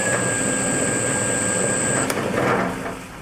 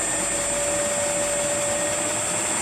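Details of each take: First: Circa-1940 Hercus metal lathe with 80 years of wear, under rebuild, runs with a rough shaking rumble and thin high whine, then winds down; owner suspects pulleys, possibly a gear, out of balance: heavy spindle vibration. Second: Rebuilt circa-1940 Hercus lathe after static balancing of the spindle pulleys to cure heavy vibration, spindle stepped up through about 900 rpm: steady, even whirr with a clean high tone, no knocks or rumble; smooth and balanced.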